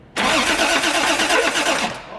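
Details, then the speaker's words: Toyota Supra first start attempt: short burst of fast, harsh, uneven churning while cranking that never catches, a belt-like sound seemingly from the middle of the engine. Cause unknown; possibly a rod problem or something rubbing inside. "what is that whoopty there's like a belt sound or something do it again oh i'm thinking there's i'm thinking this is not a good motor that sounded like it was coming from the middle of the engine"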